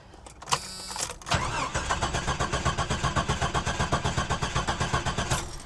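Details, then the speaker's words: C7 Corvette, fuel-injected, parked over 10 years: steady even cranking with no firing or attempt to start, no fuel pump heard, about 20 psi oil pressure while cranking; slight gallop noted. "nah uh-uh it's fuel injected it should have fired makes no attempt engine sounds pretty good sounds like I might have a little bit of a Gallop to it and I do not hear fuel pump"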